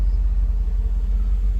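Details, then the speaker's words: 1988 Mercedes-Benz 560 SL, 51,705 miles, just after a cold start with zero water temp and high oil pressure, ambient still in the 80s near sundown: deep, steady low rumble with an even pulse, no misses, knocks or ticks, settling into a smooth normal idle. "She's already into a smooth idle, considering it is still in the 80s, even though we are getting close to sundown."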